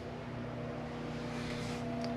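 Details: Jayco Eagle 357MDOK RV electric fireplace heater running on high: steady low hum with a soft, even airy whoosh and no rattle or scrape; the fan is running normally.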